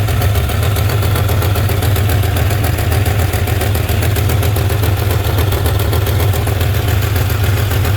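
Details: 2003 Ford 4.6 2V V8 at startup/idle: light, fast clacking tick roughly four per second over a steady idle; source of the tick not yet pinned down.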